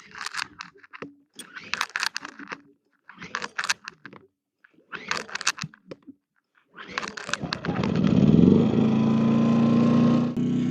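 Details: Pulsar 2,200W dual-fuel inverter generator on propane, started after priming four times and four pulls when not recently run: catches after a few quiet seconds and settles into a steady, even hum with constant tone; smooth idle.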